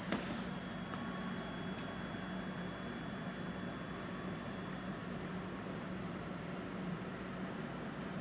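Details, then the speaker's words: Klipsch ProMedia 2.1 powered subwoofer: thin, piercing, very high steady tone over faint room hiss, cause not found; high-pitched whine. "Holy crap, that hurts my ears."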